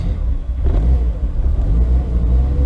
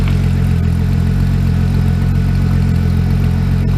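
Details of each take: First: VW Corrado on first startup in years (build begun 2014), no tach, owner hoping the thermostat works: cold idle is low and lumpy, surging and sagging while blipped to stay alive; it won't idle or drive but starts. Rough cold idle, cause unknown. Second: VW Corrado on its first startup in years (build begun 2014, motor nearly blown two Januaries earlier), cranked a while then left idling, warm: steady low rumble with an even beat, no knocks or misses; sounds healthy, normal idle.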